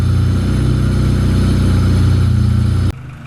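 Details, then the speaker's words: Honda Civic D16Z6, first start after new valve stem seals and head gasket, coolant topped off: steady, even idle with a low regular pulse and no misfire or knock, much better than before. Normal idle. "That sounds so much better than it did last time."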